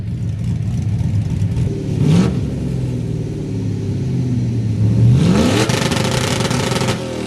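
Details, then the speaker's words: Chevrolet Blazer with a stock 5.3 V8 and a stage 2 cam making peak torque around 5200 rpm, with the two-step set to 5000 rpm for launching. Revs climb, then hold against a hard, popping, crackling limiter twice; the two-step launch limiter is working as set. "So, I set my twostep to 5,000 RPMs. That's probably going to be about the best place to launch from. Let's see how that sounds."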